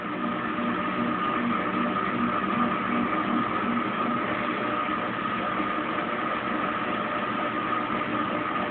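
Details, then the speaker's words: Kenmore Oasis top-load washer being repaired for OL code, 10 minutes into spin, phone stuck to machine: steady motor whir with faint drain-pump hum as drum spins up smoothly; normal spin-and-drain, no unbalanced load or OL code. "Alright, 10 minutes in the spin cycle. I can hear it spinning up. The pump's kicked on."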